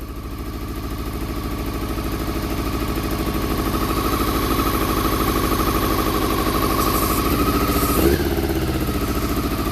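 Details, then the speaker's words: Honda CBR400RR NC23 four-cylinder, just started on petrol poured down the fuel pipe plus carb spray, water leak: uneven, lumpy idle instead of smooth four-cylinder hum, firing only on cylinders one and two; three and four stone cold, not firing. "right believe it or not that was only firing on cylinders one and two um because that's hot that's hot them to a stone cold so uh so three and four are not firing"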